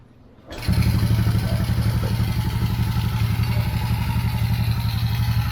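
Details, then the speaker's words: Motorcycle, just started and not yet warm, after carburetor jets cleaned of clogging and water contamination: catches at once, even steady putter at about four beats a second, no sputter, missing or stalling at idle. Normal idle. "Menor natin hindi pa mainit yan kakabukas lang hindi siya pumupugak h siya namamatay kasi hindi na barado yung karburador natin"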